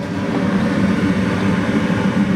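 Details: Gas furnace that had been turning on and off, after its flame sensor was cleaned with sandpaper: a steady, low rushing burner roar that stays lit without cutting out. Normal burner flame.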